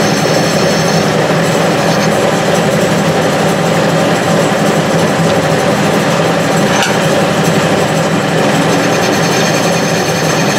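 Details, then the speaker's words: Restored Clausing 6930 metal lathe running on a newly installed VFD, not yet levelled: a steady, even drone with a light rattly hum, showing only slight vibration. "hardly any vibration. That noise indicates vibration, and there's a little bit, but it's not too bad. And I haven't leveled it or anything."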